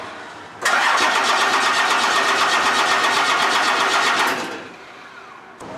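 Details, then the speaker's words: 1st gen Cummins 12-valve diesel after installing new piston lift pump and torquing fuel line, injectors not yet bled: steady cranking about four beats a second for nearly four seconds, never catches; crank no start, air in injectors suspected. "so I got that fuel line torque down and I think I'm gonna try and start it as is I have a feeling that it probably won't work but I'm gonna give it a shot"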